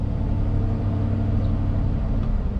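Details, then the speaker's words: 2500 Suburban revved with a flashing check engine light: deep, uneven, shaky rumble rather than a smooth pull. Codes P0174 (lean), P0300 and P0622 are read next; cause unconfirmed, alternator suspected: engine misfire. "it's like the whole thing is shaking I mean it doesn't really sound bad it just seems like it's running really rough"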